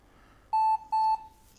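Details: 20-year-old IBM ThinkPad R40 type 2722 at boot: two identical high-pitched beeps, each about a quarter second, in quiet; POST error for the failed, undetected hard disk.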